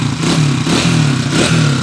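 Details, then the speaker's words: TMX155 motorcycle with sidecar after timing gear replacement, crankshaft push plug fix and rebore for oil consumption: engine blips and returns cleanly, previous timing-side rattle gone. "Yan na po yung andar niya ngayon wala na yung lato lato sound kanina na maingay yun"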